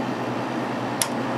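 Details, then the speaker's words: Kenmore 5000 BTU window AC (Matsushita compressor) on low after delayed compressor start, getting nice and cold; steady even compressor and fan hum, one small click, no rattle or whine; normal operation. "I have it on low right now. The compressor did start. Has a Matsushita. It's getting nice and cold."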